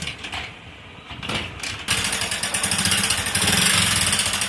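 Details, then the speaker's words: Motorcycle with over 80,000 km at idle; sharp light ticking about four times a second from the top end, often mistaken for connecting rod noise; actually head noise from a dry camshaft and worn rollers, head work needed. "ஆனா இதை பார்க்கிறதுக்கு engine noise மாதிரிதான் இருக்கும் இது முழுக்க முழுக்க head noise தான்"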